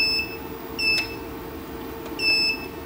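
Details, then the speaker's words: 1000W pure sine wave transformer inverter with charger: with setting 18 (buzzer) on, short clear high beeps in separate bursts over a faint hum at each button press and power-on; normal beeper, later switched off. "Nah, ini kalau kita setting on, nah dia akan bersuara setiap ditekan tombol maupun ketika dinyalakan juga dia akan nyala seperti itu ya."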